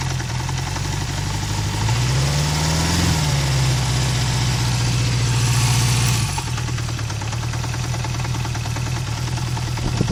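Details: Honda CB350F four-cylinder, recently bought, idling with an uneven, dropping low idle and a dull clunk repeating a few times a second underneath; cause not evident.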